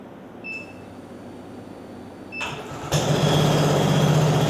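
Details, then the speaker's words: Translucidus MT02 transparent educational Otto-cycle engine with electric fuel pump, started as a demonstration; a couple of beeps, cranks and catches into a steady, even low hum with no knocks, normal running. "Eu vou ligar o translúcido para vocês terem uma ideia do que é um motor a combustão interna funcionando."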